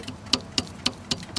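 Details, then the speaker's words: Circa 1995 Dodge Dakota, engine warmed to operating temperature: sharp clicks about four a second as one belt pulley is turned backward by hand, unlike the other; worn pulley bearing suspected as the engine noise, belt still in good condition. "Para saber si la polea está dañada a veces basta con pegarle así pegarle al contrario y se va a poder oir un sonido diferente esa no lo hace pero esta sí Entonces ese ruido"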